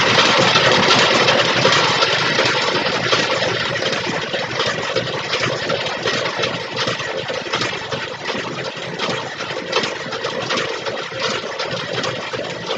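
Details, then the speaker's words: 1962 Cadillac Sedan Deville cranking after a pushrod was straightened and the valves oiled: steady cranking beat near three per second with no top-end ticking or clatter; the valves no longer stick, normal cranking with a quiet valvetrain. "all right we got all those oiled up let's just crank over some more would you listen to that a little bit oil shut those things right up obviously they're not getting stuck now"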